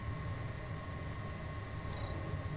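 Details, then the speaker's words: Xbox 360 fan after repair of fans getting progressively louder from overheating, reassembled with game stopped; steady low rush holding constant with no ramping, faint fixed whine. Normal fan noise. "put it all back together again and it still seems to be working normal fan noise"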